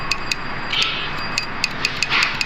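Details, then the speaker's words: Perodua Myvi 1.3 air-con relay bench-tested with 12 V while the compressor isn't running: crisp, sharp clicks each time positive is applied, over a steady hiss; relay OK. "Kita kasih positif, kita dengar. So relay okey."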